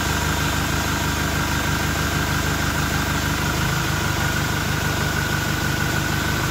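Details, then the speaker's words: Toyota Innova Reborn diesel after about 600–700 km with an open air filter, parked: steady diesel clatter with thin high turbo whistle, louder with the open filter; normal turbo whistle. "Oke tadi setelah kita dengarkan Bagaimana suara siung-siungnya ya suara turbonya suara dengingan turbonya kita sudah dengarkan tadi saat mobil kita berhenti Kita injak gas itu suara S seperti itu ya"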